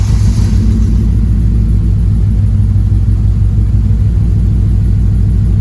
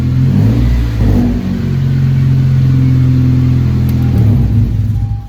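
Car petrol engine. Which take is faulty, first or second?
first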